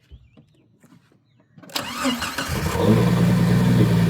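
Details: 1997 Jeep Wrangler after replacing the PCM (it cranked but wouldn't start, no fuel pressure; the fuel pump had been replaced needlessly): quiet, then a short crank catches quickly and settles into a steady, even idle with no stumble; normal start and idle.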